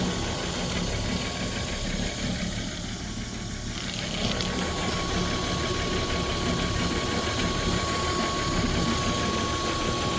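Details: Ford 3.5 EcoBoost V6 from a Police Interceptor at idle: about three dull knocks a second keeping time beneath the engine noise, the deep bottom-end rap of a worn rod bearing.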